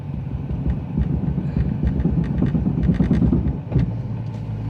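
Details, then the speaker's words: LS3-swapped E46 BMW 3 Series on a road trip, engaging gear after stopping in traffic: low engine rumble with uneven bad grinding bursts from the rear. A differential bolt had backed out. "Alright, so he just looked really quick under the car and he pulled out a bolt and he said that it's the diff bolt. So the diff bolt backed out."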